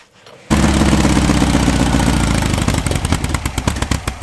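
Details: Air-cooled VW flat-four bare engine of unknown history on a run stand, first start after reassembly with timing being set (target 7.5° BTDC): catches and settles into a steady, even idle, clean exhaust beat, no knocks; normal idle.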